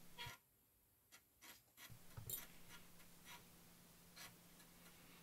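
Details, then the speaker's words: Amiga A500+ floppy drive reading a cover disk after an Agnus chip socket repair. A steady low motor hum with a few short, evenly paced bursts of head-step clicks: the disk is loading normally. "seems to be working fine"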